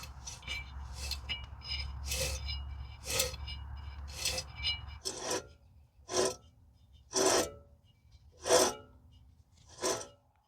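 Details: Dodge Ram hub (steel hub, aluminium knuckle), microphone held to the hub as it is turned by hand: rough, gritty rasping in uneven strokes from the needle or ball bearings inside, confirming the owner's diagnosis of a worn wheel bearing; hub needs replacing.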